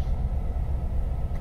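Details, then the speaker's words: 1993 Ford Econoline van spewing black smoke, idling in park: low, lumpy rumble that surges and dips unevenly, running rough; throttle position sensor suspected, not confirmed. "then this whole exercise is somewhat useless and it is running yeah it's already running rough come on give me a light"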